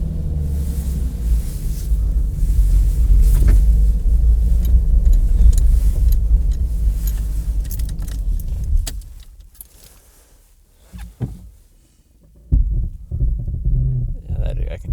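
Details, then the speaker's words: Low idle rumble with a faint, uneven puffing tick before shutoff on a 1991 Jeep Cherokee XJ Sport, 4.0-liter, 5-speed manual, outdoors in cold weather; exhaust leak. "can hear that exhaust leak."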